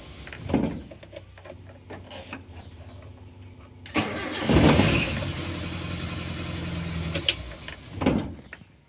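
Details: Car that is hard to start when hot, here started cold in the morning: short crank, then catches at once and settles into a steady, even idle; normal cold start.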